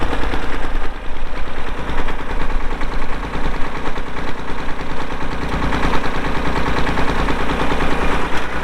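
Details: 1990 Massey Ferguson 231 2WD tractor with Perkins diesel and MF232 loader, 2,898 hours; steady, even diesel clatter at idle with regular firing pulses and no misses; healthy idle.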